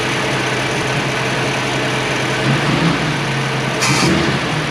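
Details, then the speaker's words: 1965 Mustang straight-six with a stalling issue; battery good and alternator charging, idle tweaked and now better; slightly uneven, lumpy idle beat that is still a bit rough. Owner suspects a vacuum leak, but none found yet. "I tweaked it a little bit it's idling better but there's something going on here and I suppose it could be a vacuum leak too"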